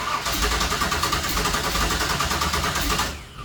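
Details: 1966 Chevy Nova wagon with a supposedly rebuilt 327 small block, fuel-feed problems: uneven starter churning, roughly three beats a second, with no firm catch before it stops. It turns over but fails to start; the owner suspects a fuel supply problem, possibly a bad fuel pump.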